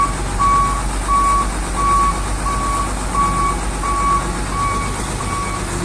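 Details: Hino Vector tronton dump truck reversing in a tight space: steady mid-pitched beeps about one every 0.7 seconds over a low diesel rumble; the back-up alarm is sounding normally.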